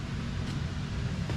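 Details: Jeep XJ after replacing the rod bearings. Steady, even low idle rumble with no knocking or ticking. Temperature gauge not yet connected. Normal idle after repair.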